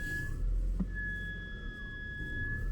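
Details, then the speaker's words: BMW X5 E53 3.0 petrol, warm engine: a thin high whistle that comes and goes, vanishing with even slight throttle, over an idle whose revs waver. Belts were replaced and diagnostics found no cause. Whistle with hunting idle. "держится но часто пропадает когда даешь хотя бы немножко оборотов о пропала"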